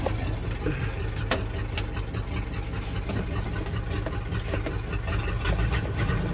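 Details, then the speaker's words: 1966 Dodge W200 Power Wagon, not run in 25+ years, idling with an open header and 60 psi oil pressure: loud, uneven idle with a stumbling exhaust beat. Owner suspects it may be missing a couple of cylinders. "Might be missing a couple cylinders there. But not too bad. It's hard to tell with open header."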